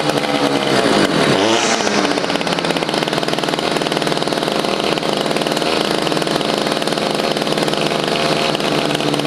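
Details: Stihl FS55 trimmer just after a carburetor, fuel line, fuel filter and air filter replacement (it previously would not prime): high buzzy two-stroke settles after a brief rev into a steady, even idle without stumbling or surging; normal idle.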